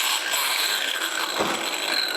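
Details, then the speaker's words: Ryobi lightweight circular saw on a jobsite: dry ratcheting rattle as blade coasts down, sounds loose; blade bore has about 1/4 mm play back and forth, described as how it's meant to be. "I noticed that when I put the blade in, and I tried doing a few test spins, it sounds loose, but she's definitely right."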